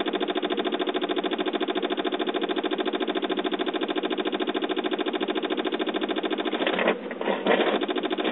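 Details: 2007 Saab 9-5 on a start attempt: fast, steady chatter with no engine catching, breaking up near the end; after a jump-start it runs then dies, and a weak battery clicking the starter is suspected.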